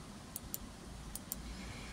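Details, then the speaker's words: Land Rover Discovery 3 new tailgate micro switch, before fitting: crisp, light clicks in press-and-release pairs, three pairs in about two seconds, in a quiet room; switch operating cleanly. "So the micro switch, you can hear now. Hopefully."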